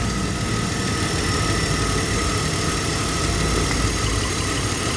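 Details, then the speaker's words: BMW X5 E53 3.0i inline-six at idle during a cylinder drop test: running lumpy and uneven with one ignition coil unplugged, showing that cylinder and coil are good. Cylinder three is suspected of misfiring. "See that coil is good. That's not the these are not the cylinders that's misfireing though. It's this one. Cylinder three."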